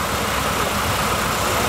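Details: Dodge Challenger pace car V8 newly converted to EZ-EFI self-tuning multi-point injection, handheld showing the system learning RPM and air-fuel ratio. Steady, even idle with a smooth low rumble, no misfires, hunting or ticks: healthy.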